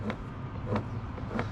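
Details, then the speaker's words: 1950 BSA B33 motor, armature turned slowly by hand: a dry, scratchy rasp, and it turns stiff and hard. Worn armature bearings are suspected and may need replacing. "well I'm listening to the uh Armature move in there it's pretty stiff and it's pretty noisy I really don't like the way that sounds or feels I'm a little concerned that the bearings might be kind of shot in there"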